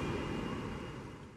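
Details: SEPTA 2009 New Flyer DE41LF bus #8322 (Cummins ISL EPA07, Allison EP-40 drive) passing by: bus rumble with a thin, steady high whine on top; the cause of the whine is unclear.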